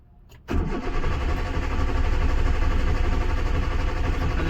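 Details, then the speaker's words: Hyundai Santro with fuel in tank and battery fine: steady starter cranking at about four beats a second that never catches; corroded fuel pump connector with a broken pin found under the seat, no fuel reaching the engine. "अब मैं cranking कर लेता हूं। देखते हैं crank करने पर start होती है क्या? कार क्रैंक हो रहा है लेकिन स्टार्ट नहीं हो रहा है।"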